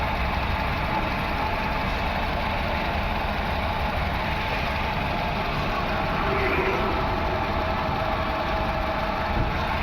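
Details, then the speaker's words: VW Vento petrol engine, check engine and EPC lights, loss of pickup: rough uneven idle with stumble, cylinder 1 misfire; coils and plugs good, injector 1 gets no current, faulty ECM. "इसका जो problem है ये fuel injector है एक number का। इसके अंदर current नहीं आ रहा है।"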